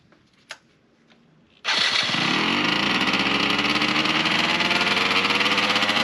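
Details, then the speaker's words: 1998 Yamaha RZ50 two-stroke 50cc, first start after restoration with resealed crankshaft and balancer shaft oil seals and refinished muffler refitted: sharp raspy high-revving burble with loud hissy chuffing; heavy exhaust leak, later fixed. "排気漏れがすごいな。"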